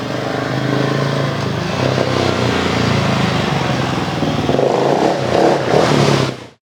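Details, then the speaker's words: Husqvarna 701 single after a Tune Logic USA tune, just push-started and left to fully warm up before riding: a steady idle with an even single-cylinder thump, no misses, knocks or hunting. Normal warm-up idle. "So, before I uh get on the gas or anything like that, I'm going to let it completely warm up."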